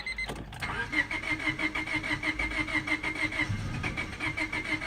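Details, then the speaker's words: 1999 Honda Civic LX that also overheats: starter churns at an even, fairly quick beat and the engine almost catches but never runs, while the radio and electrics work. Cranks but won't start, cause unknown. "how it almost catches on? Alright, so that's what my issue is at this moment."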